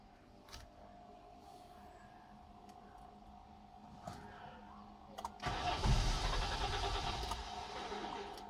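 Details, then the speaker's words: Peugeot 406 V6 manual that had a cylinder 5 misfire, limp mode and a suspected throttle body fault, started after intake reassembly with new gasket: quiet cranking, then catches cleanly and runs evenly; misfire and limp mode gone. "so far the misfire is gone the limp mode is gone"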